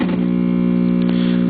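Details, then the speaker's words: Webcor model 2711 tube reel-to-reel tape recorder, recapped (new electrolytics), in record with volume up: loud steady low hum with buzzy overtones, showing on the eye tube; extreme mains hum after recap, cause not yet found. "as it defaults to record watch the seeing eye tube and i put the volume up you can tell the hum is coming through that"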